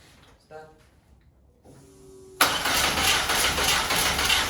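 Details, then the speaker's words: VW Golf 1 with a 2 L 8-valve engine at first start. After a quiet pause the starter churns at a steady, rapid rhythm but never catches. Crank-no-start, believed due to the distributor sitting too far out, not seated, with its clamps out of place. "I think the dizzy was a little bit too far out. What I think happened there, the dizzy wasn't on its place here inside because the dizzy uh clamps were sitting here."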